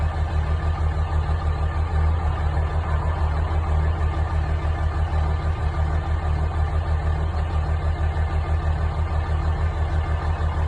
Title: Dodge ram 5.9 Cummins CR cold start bad injector